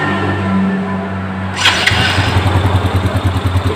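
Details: Yamaha Jupiter Z1 after battery diagnosis (old battery too weak to crank): starter whirs briefly, engine catches at once and settles into a steady, even single-cylinder idle; normal start and idle.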